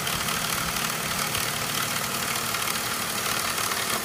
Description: This is a DISA valve rattle coming from the 3.0L M54 engine in an E39 5 series.